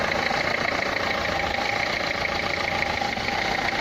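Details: Renault Clio 3 1.5 dCi 105 hp diesel at idle: loud idle with rough, uneven tapping over a bright clatter; noisy injector knock.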